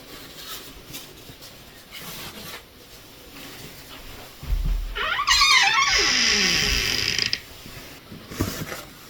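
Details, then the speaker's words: A door hinge that started squeaking over the years, just sprayed with silicone lubricant and worked back and forth: a high, wavering squeal rising and falling for about two seconds as the door swings; other hinges still squeak. "And some of the other hinges are still squeaky, so I'm going to want to repeat these steps on all three."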